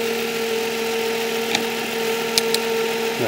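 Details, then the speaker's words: 2005 Nissan Maxima at idle, hood open: steady mid-pitched whine over a smooth idle, absent at first start then coming in as it runs; owner suspects failing alternator (battery 12.9 V), alternator replaced. "so when you first start it it doesn't come in and then as it's running starts to wind"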